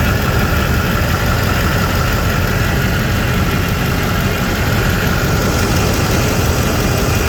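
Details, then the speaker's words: 2008 Chevy 6.6L Duramax turbo diesel from a Chevy Express school bus, 108,833 miles, idling with the oil cap off: steady, even low rumble with no knocks or misses. Very smooth, quiet, zero blow-by. Normal idle. "Go ahead and start it. Very smooth, very quiet."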